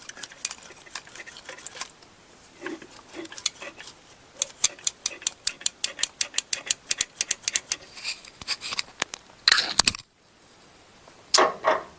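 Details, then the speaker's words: 1998 Chevy Tracker with fuel injector problem, wiggling wiring harness: sharp irregular clicks then quick even ticks cutting out; injector switching on and off from shorting wiring connector or harness. "the injector switches on and off no bueno no good"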